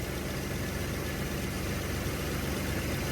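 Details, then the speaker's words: 1981 Chevy C10 after new spark plugs, idling on its own. A steady low rumble holding an even, slightly raised speed with no misses or hunting; the idle is higher and it sounds better than before the plug change. Normal idle. "It sounds good. I'd almost say it sounds better than what it did before."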